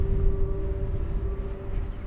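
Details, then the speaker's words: Tipton County wind farm turbine, recorded in brisk wind of about 10 mph: steady high-pitched whine over a deep turbine rumble as the housing yaws to better face the wind; normal yaw drive operation. "if you can hear that as a little bit of a high pitched wine that's the housing turning to better face the wind"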